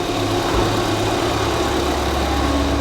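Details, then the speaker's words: Ford Fiesta ST, former non-runner now running and driving, heard at the engine while running: quiet, even idle with steady low hum, no knocks, ticks or misses; sounds good and really quiet. "let's have a look at that engine now with it running let's have a look oh it sounds good that sounds really quiet really quiet that's good"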